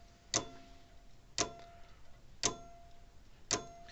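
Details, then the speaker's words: Old Sears mechanical electric fence charger (1930s-style pendulum design), still working: sharp clock-like pendulum ticks about once a second with an occasional faint crackle as the contact snaps shut; intermittent arcing at the points, which need cleaning, and the plate underneath is probably dirty. "But I can hear it arcing down every once in a while when it snaps against there."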